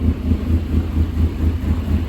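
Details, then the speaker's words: 2008 Dodge Caliber SRT4 with check engine light on: a low drone that surges and sags unevenly about four times a second and won't settle, a rough unstable idle. A rattle is heard at mid-range rpm, but no rod knock is heard. "No oil light, but I do hear a rattle when it kind of I don't know if it's a rattle or what that noise is at kind of mid-range RPM. It doesn't want to idle, that's for sure."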